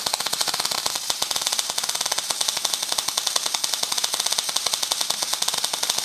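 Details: Heavy plate, around 120–150 amps: rapid, sharp, irregular crackle and sizzle with no steady frying rhythm; wire speed and heat still off, too fast and too cold.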